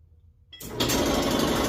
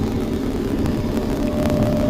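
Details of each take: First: Kenmore Smart dryer starting up with a loud, rough, rapid rattling scrape; the worn idler pulley wheel is blamed after the other parts were checked. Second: Kenmore Smart dryer after repair: drum turns with a steady, even low hum and no squeal, grinding or knock; the earlier noise came from a failed idler pulley, now replaced.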